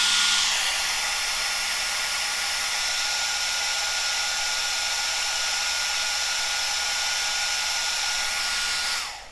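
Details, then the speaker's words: Cascade DS-925 hair dryer after repair: no-heat fault was a broken heating element connection, crimped back together, now heating fine. Steady, even high-pitched blower whoosh with constant motor tone, no rattles or cutouts, until switched off; running normally. "the excellent seems to be working so that was definitely at the heating element had broken with a new reconnected it seems to be fine"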